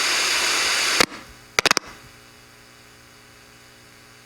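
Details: 10 V zener diode with a 68 µF 16 V tantalum capacitor placed across it. Loud hiss and a few clicks, then near silence with only a faint low hum; decoupling removes the zener noise.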